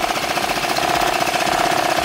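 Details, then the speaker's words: 1986 Honda Helix scooter just after carburetor/float cleaning and reassembly: engine chatters unevenly with ragged firing and buzzy exhaust, barely running, running rough with some smoke, drive belt not yet replaced. "she barely running shy I'm gonna let it run it she running a little bit rough there's some smoke"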